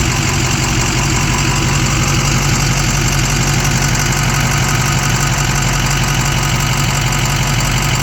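A steady idling engine with a light, fairly regular tick of about three a second on top. Cause suspected, not confirmed.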